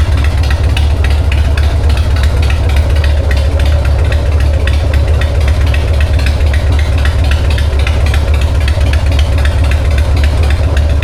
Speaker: Okay. You can't tell me you don't love that sound. That is a 1999 uh Harley-Davidson Sportster 1200 with an SNS carb.